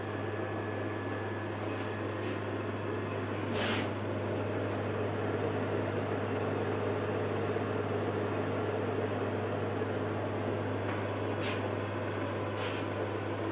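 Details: Carver Fanmaster caravan heater 12 V fan, 1996 Swift, after fan and control PCB repair: low steady motor hum with even whir, no knocking or scraping; runs smoothly, though motor runs quite hot and may still fail.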